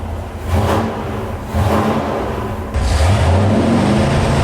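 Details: 1972 Dodge police car 440 big-block V8 on dyno, warm-up: deep, even burble rising smoothly on the rev and settling back, no knocks or ticks; healthy.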